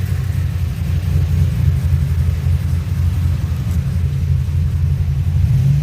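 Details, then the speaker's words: 2007 Pontiac GXP LS4 V8 after a rear cylinder head bolt thread repair, on its second start attempt: a low, steady idle rumble with no knocks, ticks or misses; the engine runs normally, with the crossover and downpipe still not fully fastened. "Sounds good. Yeah, I still need to tighten up the crossover, and I need to add one more nut on the downpipe."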